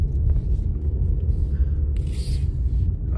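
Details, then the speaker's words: 2011 Chevy Cruze 1.8L, about 175k, first drive after tune-up with new spark plugs, warm after idle settled: deep, even engine rumble pulling steadily under load with no stumble, miss or knock; healthy and responsive. "seems to be responding good oh yeah I can definitely tell a big uh big difference"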